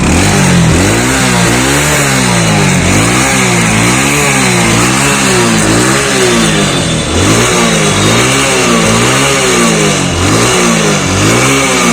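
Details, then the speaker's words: Motorcycle after a piston and block rebuild to cure white oil smoke, revved on the stand: crisp, even revs rising and falling about every second with no misses or knocks. Sounds perfect and the oil smoke has completely stopped. "तो सबसे पहले गाड़ी के sound सुनिएगा, एकदम perfect आवाज है, उसके साथ साथ धुआं दिखाता चलता।"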